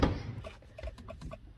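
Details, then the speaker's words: BMW E90 335 with a nearly dead battery that the charger isn't charging: soft, irregular relay clicks in the quiet cabin, some from the glove box; the key does nothing. "the interior is going kind of nuts so I'll show you what the interior looks or sounds like you can hear a bunch of relays clicking"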